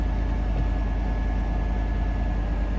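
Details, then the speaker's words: Salvage-auction truck listed Trail Boss LT with Z71 badge, likely not started in a while: starts right up with some smoke, then a deep, even idle with no knocks, ticks or misses; sounds good overall. "Ooh, smoky. So it's just kind of, probably hasn't started in a while. Overall, sounds good."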